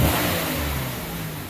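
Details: 2004 Buick LeSabre 3.8 V6 with rough idle and code P0102 (MAF circuit low frequency), snap-throttle check: revs climb and drop back smoothly with no stumble or popping; engine responds cleanly.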